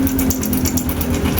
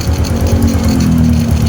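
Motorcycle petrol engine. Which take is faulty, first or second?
first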